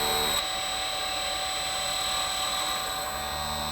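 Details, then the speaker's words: CNC spindle motor run at low speed on an inverter, stalled by hand as a test for a stall monitor; steady high whine with low hum that bogs and slows to a stall, while inverter current barely changes. "And then what I'm going to do is try and stall the spindle motor out on low speed with my hand."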